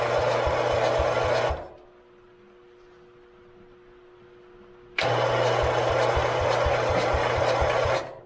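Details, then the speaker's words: Forgotten free lawn mower, engine freed with vinegar, new ignition coil fitted and spark confirmed: starter churns about three turns a second, pauses, cranks again without catching; cranks but won't start, plugs then found bad. "round two is not successful so i'm gonna pull my plugs off and see if they're sparking"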